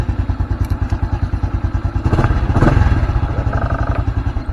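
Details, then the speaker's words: Honda Blade 125 FI with a starter complaint (only clicks), starter motor jumped directly from battery positive bypassing the relay, old battery. Steady, even cranking thumps at about three per second, turning over cleanly; the motor is fine, so the control circuit is checked next. Normal starter cranking. "Kalau nyala berarti dinamonya dia masih bagus ya. Jadi kita enggak usah bongkar-bongkar dinamo. Oke masih hidup ya."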